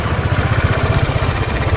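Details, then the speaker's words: Motorcycle riding in Delhi after the mechanic added fresh oil; the low oil, about 2000 km after service, had caused a crank-breaking-like noise. Steady, even thump under way with no knocking; the noise is gone and the sound is back to normal. "वो आवाज तो बिल्कुल बंद हो चुकी है। अब जो नॉर्मल इसकी पहले आवाज आती थी ना वही आवाज है।"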